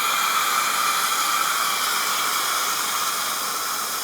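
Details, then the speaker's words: Self-serve car wash Simoniz hot wax foam (splatter) gun, same in a second bay, Flojet pump suspected: only a steady, even hiss of air assist with no pulsing or liquid spatter; the product pump isn't delivering. "but again we're not getting any pumping product action out of this splatter gun it's just all the air assist"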